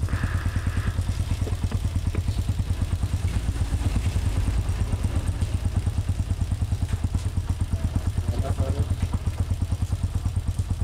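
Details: Honda TMX125 single after a stator fix, valve replacement, cylinder cleaning and a new genuine pushrod: even, steady thump at idle with no popping or backfires; it runs clean and healthy.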